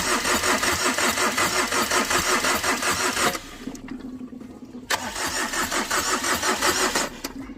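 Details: Tata Vista car after overheating from a detached radiator hose: starter cranks steadily at about three beats a second, stops, cranks again, but the engine never catches; cranks but won't start.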